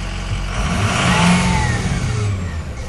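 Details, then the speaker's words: Diesel pickup with Blackwater remanufactured 6.0L longblock, suspected head gasket leak and blow-by with positive crankcase pressure; under load pulling a grade, a deep uneven hammer-like slapping knock under the engine roar, barely heard at idle. "just idling you can't really hear but if you go up any kind of grade or hill um it's it's bad it sounds like someone's in there with a hammer knocking on something you can definitely hear that slapping around"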